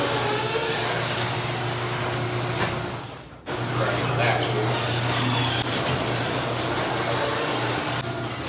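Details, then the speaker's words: Squeaky garage door before lubrication; opener hums steadily with faint high squeaks and rattles from dry rollers and hinges. "All right, so you guys heard that garage. It's pretty loud actually."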